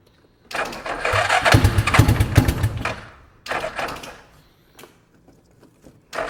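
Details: One of four free ATVs (Suzuki Ozarks and a Yamaha Rhino) firing in rough bursts on starting fluid, with a loud raspy exhaust note that sputters and dies between sprays and no steady idle. The temperature light came on and stuff shot out of the exhaust. Runs only on starting fluid.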